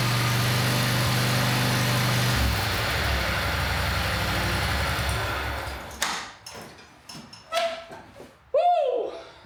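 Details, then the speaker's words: Country Clipper Boss SR1200 zero-turn mower, bought broken: the engine runs with an uneven, lumpy, smoky beat before dying away; hydraulics and electric clutch work, rough running from the engine itself, cause unconfirmed. "So, that sounds like the hydraulics work, the electric clutch works. The issue that we have is with the engine itself."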